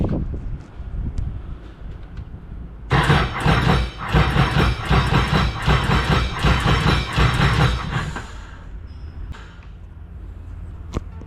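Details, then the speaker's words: Freshly rebuilt turbo Sea-Doo RXP-X 260 engine at first start-up: about five seconds of steady starter cranking that never fires; no start because the injectors stuck after being left open for two weeks. "all right gotta figure out why it's not starting now probably some stupid all right it's been a few days or like a week since the last video of why this thing wasn't starting so it turns out you're not supposed to leave your injectors wide open for two weeks"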